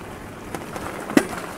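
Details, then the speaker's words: ADO A20F Beast fat-tire e-bike riding over bumps: sharp, irregular clacks over a quiet rolling hiss from a knocking front fork. The battery inside the frame also rattles; the fork's cause is suspected, not confirmed. "Et on a un souci en plus, c'est la fourche qui claque. Franchement, écoute, c'est pas que la batterie qui fait claque."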